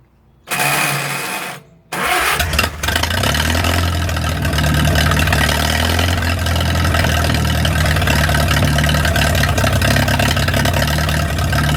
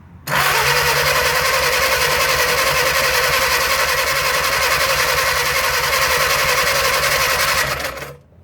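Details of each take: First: 1937 Willys flathead four-cylinder generator engine, sat outdoors 15-25 years, after fixing a leak: quick crank, fires and settles into steady even idle while warming, no misses or knocks. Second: 1937 Willys flathead on an old generator, sat covered in the woods 15–25+ years, cranked with ether: steady fast starter chatter for eight seconds with no firing; no spark, owner suspects battery connection or dirty points.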